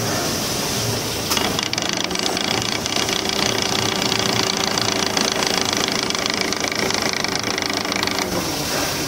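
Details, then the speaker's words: Rapid harsh "treeet treeet" buzzing rattle with a faint steady tone underneath, heard from under the car; abnormal noise caused by a damaged, worn propeller shaft (kopel). "perhatikan bunyi abnormal tret tret yang timbul akibat propeller shaft sudah rusak"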